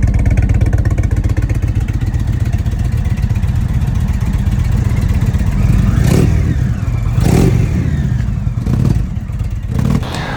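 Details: 2021 Indian Vintage Dark Horse 111 V-twin for comparison: deep, even rumble with quick throttle blips and no high-pitched whine, unlike the owner's 2023 Sport Chief 116 whining at 222 miles.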